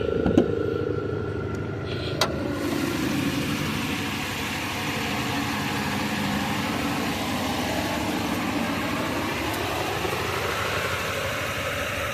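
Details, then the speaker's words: 2005 Chevy Impala idling parked, also not shifting out of first: uneven, lumpy idle with an irregular stumble that never settles, engine shaking; misfire. "It's definitely misfiring. Sorry if that was loud on the ears."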